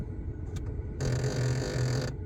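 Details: Lada Priora heater flap motor-reducer (actuator): light clicks then harsh rattling buzz as the flap moves through mid positions, fine at extreme hot/cold positions; actuator to be fixed.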